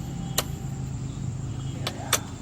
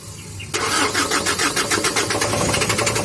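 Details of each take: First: Fuso Canter truck, 4M50 diesel, after fixing crank-no-start, trouble codes cleared with scan tool and check engine light gone; low steady rumble at idle with no misses or knocks, a few stray clicks, idle strong; normal idle. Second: Fuso Canter truck with 4M50 diesel cranks steadily at about four beats a second for three seconds but never fires; injectors checked okay, owner suspects dirt as the cause of the crank-no-start.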